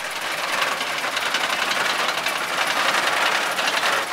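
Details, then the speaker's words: 1931 Ford Model A, first run after sitting 60 years: a fast, uneven chattering rattle at about four beats a second over the running engine; clutch noise. "can hear the clutch problem we have you're good you're good put that baby to bed"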